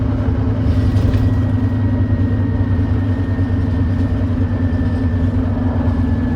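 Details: First Glasgow Volvo B9TL Wright Eclipse Gemini bus, Volvo D9B 9.3L Euro 4 diesel, ZF Ecolife 6-speed, climbing under heavy load: deep drone with a rough, thrashy edge and a faint whistle on top from an exhaust leak.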